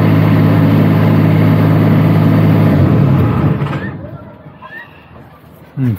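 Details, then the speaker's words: Niftylift HR28 SP85 with errors 01CE/01C5/01C4, run with a suspect converter disconnected. Engine holds a steady, even low drone, then winds down smoothly and goes quiet. It started straight away and runs normally. "that's no problems at all something is very likely the problem is here because right now i disconnect that and i have no problems to start it up started straight away"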